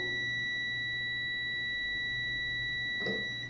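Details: Microwave power relay test on the control board: with the oven switched on, a steady high multimeter continuity tone sounds without a break, showing the relay contacts have closed and the relay works; there was no continuity when the oven was off.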